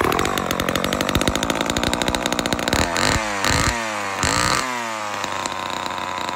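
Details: Vintage Homelite Super XL-12 two-stroke chainsaw, started after sitting a while: it fires and buzzes at high revs, then blips up and down several times with crisp throttle response, running steadily.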